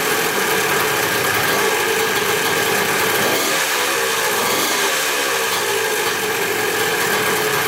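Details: Dirt bike, VIN suggesting 175 possibly 1981, after clutch adjustment and restart: steady, even single-cylinder idle with no knocks or misses; normal idle.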